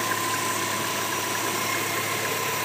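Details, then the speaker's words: 2001 Subaru Outback LL Bean after a repair: it had been misfiring on every cylinder but one (cylinder six code), blamed on corroded grounds and bad fittings, and new ground wires were added. Idle is now steady and even on all cylinders with headlights, AC and wipers on. "so it's not missing now it's running smooth"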